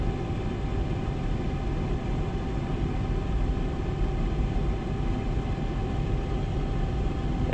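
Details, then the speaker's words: 30-year-old Rheem 90-plus gas furnace from the 1990s: blower running with steady low hum and buzzy rattle, cabinet vibrating on a sagged, out-of-level wood platform; earlier loose motor bracket screws, more play now, new blower motor, wheel and brackets recommended. "blower should be getting ready to turn on I just oh yeah definitely a a rattle it's not terrible but I bet they're hearing that's what they're saying is they're hearing it up in the duck work"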